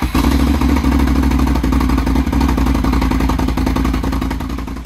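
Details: Can-Am Renegade ATV first start after revival, with a replacement battery after the first one lacked charge: fires right up and runs with a steady throaty beat and slight blip, no misfire; starting and running normally.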